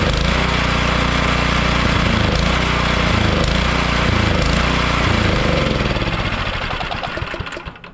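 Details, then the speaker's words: About 10-year-old snowblower run out of fuel for spring storage: small single-cylinder engine hammers along, then coughs, stumbles, misses and sputters before dying as the carburetor runs dry; fuel starvation is expected and normal here. "So this is what it sounds like when you run your snowblower out of fuel. So don't worry if it's coughing and farting. That's what it does."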